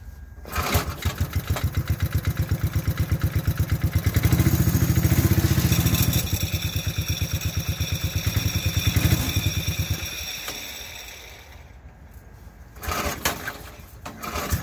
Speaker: you wonder what the noise is the chain fell off so she's sitting there dragging on the clutch